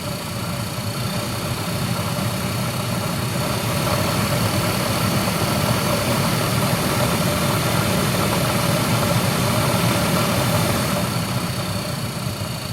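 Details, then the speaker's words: 2007 Toyota Camry blower motor at full fan speed, heat on high, after a repair attempt: steady whine with several fixed high tones over a constant airy rush, worse than before; blower motor whine. "And unfortunately, it sounds like it's gotten worse. So looks like I have made it worse trying to fix it, unfortunately."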